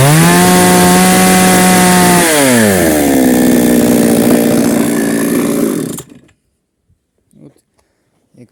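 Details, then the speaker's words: Old Foresta chainsaw with 50 cm bar cutting under load after turning the mixture screw in about 1.5–2 turns; strong even two-stroke howl, no longer losing power or stalling. "ми бачимо тяга з'явилась і вона вже може Виконувати свою функцію"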